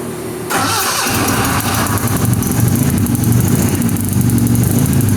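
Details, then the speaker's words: Chevy LUV truck just fitted with a turbo: cranks, catches and runs lumpy and stumbling, as if only two cylinders fire; two plug leads (cylinders two and three) were crossed in the distributor cap, misfire from wrong firing order. "what do you have the firing order set up it's on the cap sounds like it's only running on two try it again"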